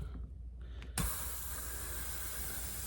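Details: Ryobi CS30 trimmer that runs lean, under a pressure test with soapy water on a homemade intake gasket: a sudden steady hiss of escaping air as pressure is applied. Intake gasket air leak, possibly coming through a bolt.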